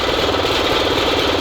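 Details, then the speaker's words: SMZ invalid carriage two-stroke, first start after long storage: even, fast, buzzy pulsing idle with steady rhythm and no knocks or misses; runs normally and charging works. "Он вроде работает нормально зарядка есть ранник - это не проблема"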